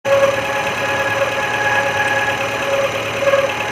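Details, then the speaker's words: Maruti Gypsy idling before repair: steady rough grinding and whine, possibly from worn alternator bearings; smooth after alternator replacement. "loud grinding sound is heard, maybe a worn-out alternator. Bearings."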